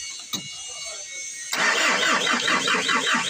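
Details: Old-model Ford diesel, hard starting: starter churns in a steady, slightly uneven rhythm for a couple of seconds but engine never catches; injection pump and injectors judged at fault, not delivering fuel.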